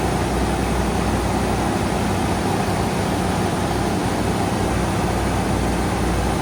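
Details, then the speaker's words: 1987–1995 Ford truck 5.0/5.8 V8 that had hard starts and erratic running, during throttle position sensor testing: steady even low rumble with no hunting or surging as it settles; normal smooth idle. "Oh, wow. That's really good. really really good. See what happens here. Should idle down here in a minute."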